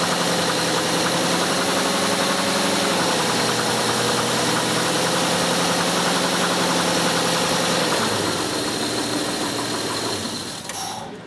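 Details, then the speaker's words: 2001 Hyundai Santa Fe, warm engine, sensor beside the hot radiator hose, cooling fan running: idle speed drifts up and down rather than holding, then the engine is shut off; idle fluctuation from faulty coolant temperature sensor. "But you guys hear the idle speed, you saw the reaction."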